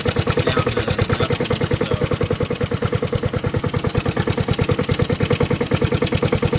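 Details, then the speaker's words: Honda HRT216 mower cold-started after sitting outside without fuel since February, then refueled. An even, steady putt-putt at about eleven beats a second with no misses or knocks; a healthy, smooth low idle, smoothest the owner has seen it run. "wow no way smoothest I've ever even seen it run before wonder if it compl wow I have the idle on the ID on"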